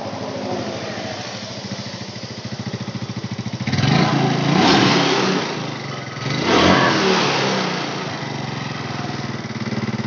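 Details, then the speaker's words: Valve train ticking on a Yamaha Mio Sporty scooter started after long disuse: quick light ticking over idle that follows throttle blips, likely a worn camshaft or rocker arm; tightening valve clearance would quiet it but cause hard morning starts. "disini Agan bunyi ngetik mas ya titik-titik titik-titik kalau bunyi tik seperti eating seperti ini ya ini biasanya sih noken-as atau pelatuk klep itu sudah aus"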